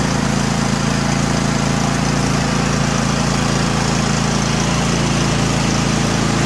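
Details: Craftsman T8200 Pro riding mower, 2016, 24 hp Kohler Elite KT735 engine, 46 hours, after carburetor repair and fuel line flush for won't-start, surging and dying: steady, even single-cylinder beat, no surging or misses; normal running.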